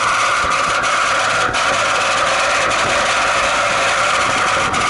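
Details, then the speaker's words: 20-year-old outdoor AC condensing unit after about twenty minutes of running: loud, steady roar with a harsh midrange drone and occasional ticks; the condenser fan motor is failing and needs replacing. "Here is that noise. Yeah, it's the condensing motor."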